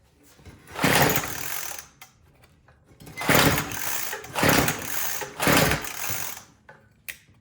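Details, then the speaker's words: Troy-Bilt TB225 two-stroke tiller after carburetor mixture screw turned 1/8 turn richer: surges in bursts then sags and nearly dies, still running out of gas; lean fuel starvation from rotten fuel line and dried carburetor diaphragm and gaskets. "I'm just gonna make it a little bit more rich and see if that changes anything. Yeah, it just sounds like it's still running out of gas."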